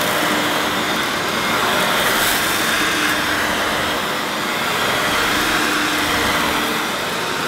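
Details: Hoover S2095 Quick Broom II mains-powered bagless stick vacuum, brand new, picking up rolled oats. Steady high airy whine with faint debris rattle, constant pitch under load. Picked all the oats up: normal running.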